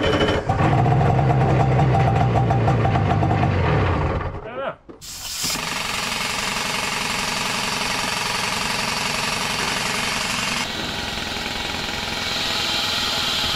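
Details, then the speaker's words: 1970s Wetco Wetbike that sat 25 years, carbs on, no throttle cable fitted (carb set up for a boat cable): harsh chugging at about four beats a second cuts out with a backfire pop, then picks back up ragged. "probably should have swapped over those carb parts on the side since this one's set up for a boat cable and there's another backfire"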